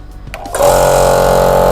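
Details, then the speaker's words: 25 L air compressor after its head was cleaned, reset and refitted, test run: motor kicks in after a short pause, then a steady even hum without knocking or rattle; pressure switch cuts it off correctly at the set pressure, normal operation. "ഇപ്പൊ നിങ്ങൾ ശ്രദ്ധിച്ചു കാണുമല്ലോ ആ കൃത്യമായിട്ടും ഒരു 100 ബാറിൽ എത്തിയപ്പോഴത്തേക്കും output വന്നപ്പോഴത്തേക്കും കൃത്യമായിട്ടും അത് ഓഫ് ആയി"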